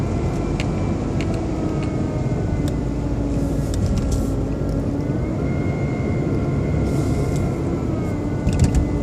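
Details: BMW 120i E87: a thin, steady motor-like whine over a smooth idle that drifts with engine speed. It seems to come from behind the air cleaner box; an oil change did not fix it, and the cause is unknown.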